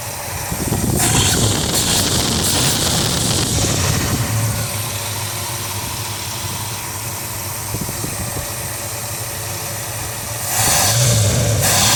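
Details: 1976 Mercury Marquis, 400 V8 with new long block, rebuilt 2150 carb, timing 12°: uneven loping rough idle, low bouncy vacuum like a misfire; compression and leakdown test found low compression on one cylinder.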